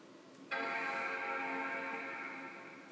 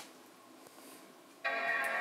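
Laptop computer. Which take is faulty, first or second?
first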